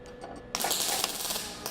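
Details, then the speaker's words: MIG welding a bead on scrap metal with the heat set deliberately low. The arc crackles unevenly with sharp pops, giving a cold weld that sits on top without penetrating. The cure is turning the heat up. "All right. You can tell just by the sound that's no good."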